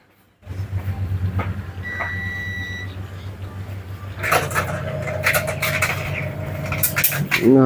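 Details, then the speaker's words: Sharp single-tub top-loading washing machine on spin: motor hums and pulsator churns but no spin whine builds, tub doesn't turn and water won't drain; drain motor failed, replaced. "tabung tidak ikut terputar Oke kita akan bongkar bagian bawahnya ini biasanya kerusakan di bagian Dra motor ya"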